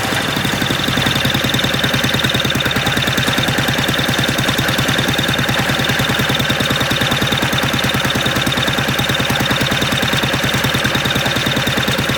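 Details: Old MTD walk-behind lawn vacuum blower after sitting about 3 years, just restarted: uneven fast chugging with buzzy high whine, ragged run before it dies; owner unsure whether it ran out of gas.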